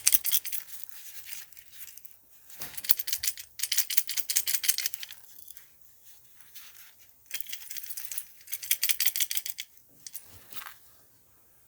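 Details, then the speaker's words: Start relay removed from a 15 to 17 year old Whirlpool refrigerator and shaken: dry, fast metallic rattling of damaged, loose contacts; the fix is replacing it with an RCO 410 3-in-1 start relay/capacitor. "so here is the relay you can hear the vibration of the contacts"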